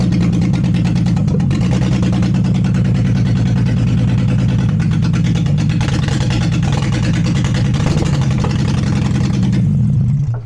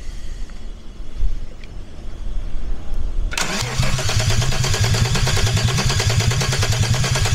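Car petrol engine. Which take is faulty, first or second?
second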